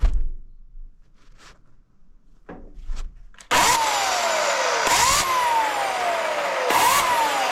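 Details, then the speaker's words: Oregon CS1500 120V electric chainsaw after repair and reassembly: motor spins up to a smooth high whine three times, each spool-up clean and steady, then winds down without grinding; normal operation. "okay got it together and sounds like a normal one now"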